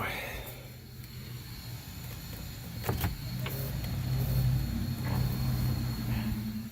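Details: 1986 BMW 524TD turbo diesel, 79k miles, passenger-side power window: steady, even low motor hum as the glass travels, with no grinding, binding or clicks; normal power window operation.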